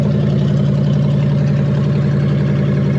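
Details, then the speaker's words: Ex-police Ford Crown Victoria (2000 or 2002), stored for years, idling with no alternator belt: a deep, even V8 burble with very loud exhaust and no misses or knocks; engine runs as it should. "yeah it's a little bit loud so it's a lot loud it runs just fine there's no alternator belt on it it sounds like it should sound"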